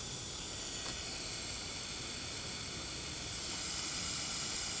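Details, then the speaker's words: RCA CTC16 round-tube vintage TV with substitute flyback, rectifier and shunt tubes out, brought up on variac: constant high frying hiss with faint crackle, boost about 660 V against a supposed 975; high-voltage corona leaking around the flyback. "Once I put the rectifier tube in, and the shunt tube, that's when we get the X-rays. This is just corona and ozone to the max."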